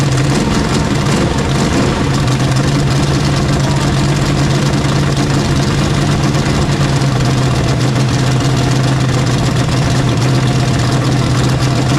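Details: Rebuilt Chevy 350 small-block V8 running after final assembly, carburetor leaking slightly: steady, even rumble with a constant low hum and no knocks or misses, normal idle.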